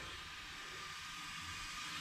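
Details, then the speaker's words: Radiator for a 1989 Rover Mini Racing Green, checked with a cooling system pressure tester before fitting. A steady, loud hiss of escaping air holds constant. It is leaking at the end opposite the cowling bolt, where a too-long bolt is suspected to have punctured the core; the radiator is scrap. "so I've got a pressure tester and I thought i' better check it first and it's leaking like a"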